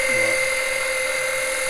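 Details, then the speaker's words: Small electric extractor pump sucking engine oil through the dipstick tube for an oil change on a 2007 Monterey 214FS with a MerCruiser 5.0 MPI. It gives a loud, steady high-pitched whine with no surging, gets a little hot and is slow; normal pump running. "it is pretty loud let me turn this thing off it is pretty loud it does get a little hot i ain't gonna lie and it's not the fastest thing in the world"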